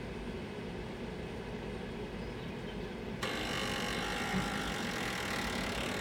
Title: GMG making loud noise